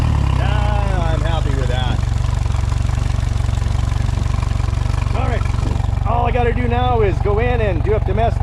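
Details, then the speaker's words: Mercury 115 hp outboard on a fire-burnt 17.5 ft Lund boat, throttle cable disconnected, revved on test: fires and runs with steady low thrum under spray hiss, no misses or knocks; normal running, engine should work fine. "um, and let them know that the engine's actually running and should work fine."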